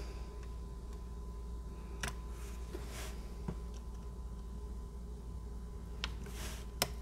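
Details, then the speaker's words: Dell XPS 9570 laptop spacebar after reseating key and stabilizer bars to fix a squeak: a few crisp clicks over faint hum, no squeak; normal quiet spacebar after repair. "sounds pretty good right now sounds like we got it I'm gonna put in the left side the right side it's awesome nice and quiet"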